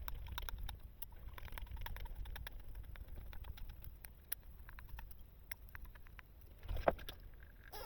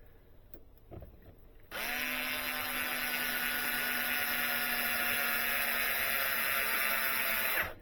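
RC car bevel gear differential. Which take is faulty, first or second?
first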